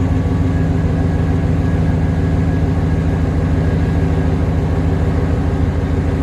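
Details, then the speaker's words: 1994 Chevrolet Silverado K1500 GMT400 after throttle position sensor and thermostat replacement for high idle: deep, steady, even idle, loud open-exhaust rumble (no muffler, straight from cat), no knocks, misses or hunting; running healthy, much better. "So, already way better, guys. Sorry, it's very loud."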